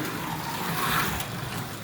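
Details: Carrera 1:32 slot car on Artin track with Carrera digital parts: steady, even electric whir with road rumble, no clunks or catches, running smoothly.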